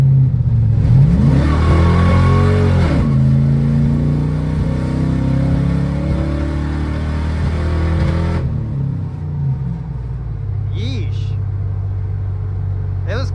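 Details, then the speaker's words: V8 with new fuel pump, 87-octane fuel, hard acceleration on a highway straightaway: pitch climbs then stumbles and falls away unevenly as it cuts out and picks back up; owner unsure, suspects low octane or lifter problem. "out a little bit like it would be going it'd be like so I don't know what that's all about I mean it kind of sounds nasty but it kind of sounds shitty"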